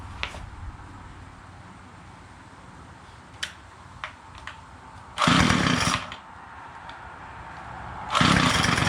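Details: Weedeater two-stroke after a new crankcase cover was fitted, with the pin left free-floating: a few pull clicks, then it catches and revs up cleanly in two short bursts; normal running.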